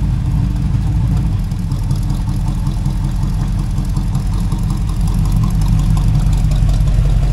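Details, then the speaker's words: Kevin's Chevy El Camino V8 running: deep, even rumble with a steady beat and no skips or stumbles, all eight cylinders firing. Runs better than before; normal running. "once all eight cylinders start hitting she's definitely running better"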